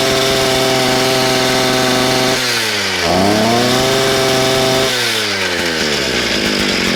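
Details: Small engine, first run after a kink in the fuel line was removed: it holds a steady high rev, drops and climbs back cleanly with the throttle, smooth and even; running normally.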